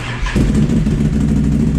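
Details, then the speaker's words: Can-Am Renegade ATV on its first test ride after installing a QSC Rev X primary clutch: the engine catches and settles into a smooth, even idle with no clatter, squeal or clicking, a very quiet, healthy clutch engagement. "all right so far so good right no loud noises everything's good so far you know what though that's that's a very quiet clutch right don't even hear a damn thing clicking"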